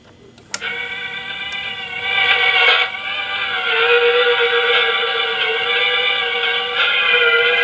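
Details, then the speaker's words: 1960s Sears 8241 rim-drive 3-inch reel-to-reel tape recorder playing a tape recorded on a stable Grundig: tone wavers sharp and flat, heavy wow and flutter. "but you can already hear how much wow and flutter this recorder has because the grundagniki runs at a very stable speed"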